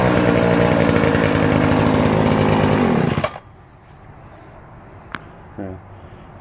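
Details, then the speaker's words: Stihl 2016 FS70R string trimmer, choked and primed, started: high, buzzy two-stroke wail held steady at full throttle without sputtering, then cut off cleanly; it runs properly. "all right that's good that sounds like a chainsaw a little bit"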